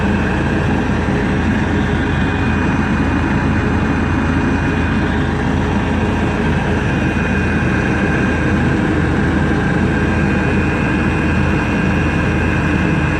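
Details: Webasto parking heater on a 1999 Seat Alhambra 1.9 TDI, after repair: constant steady burner and blower roar for thirteen seconds with no surging or popping; healthy, normal running.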